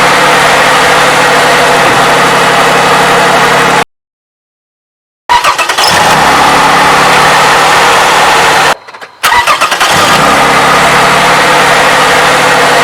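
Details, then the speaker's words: 2007 Toyota 3.5L with 170,000 miles, idling after graphene oil additive treatment: smooth steady idle with no top-end ticking or tapping. Owner says he has never heard it so quiet. "But hey, to me this looks like a success. Never heard this engine so quiet."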